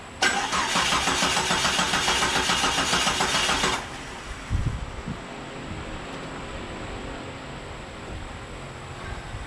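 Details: Jeep Cherokee with new Mopar crank sensor installed but its connector left unplugged: starter cranks steadily about three and a half seconds with no firing, then stops; no start until the sensor was plugged in.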